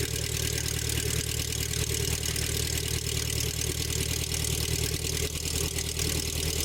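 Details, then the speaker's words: 1984 Nissan 720 pickup, Z24 four-cylinder with eight spark plugs, cold start after replacing possum-chewed plug wires: steady, even idle, smooth low thrum, no stumbles or ticks; healthy. "Looks good. Sounds good."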